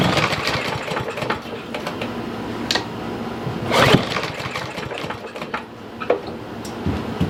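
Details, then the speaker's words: Troy-Bilt TB110 push mower, 140cc, sat a year under leaves, no primer or choke: several recoil pulls, each a brief rattling spin dying away without firing; no-start from a dirty, fuel-starved carburetor. "So it doesn't sound like it's going to even try to start."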